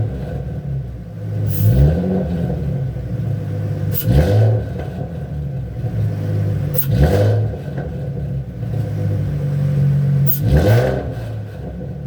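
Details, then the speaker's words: 3.7 Cyclone Ford Mustang after installing a BBK 73mm throttle body and Air Raid spacer, with cold air intake, BBK X-pipe, MagnaFlow exhaust and SCT tune: four throttle blips over a low rumble with a new faint whistle from the added intake airflow. "It definitely has a new whistle to it, so definitely got more air coming in."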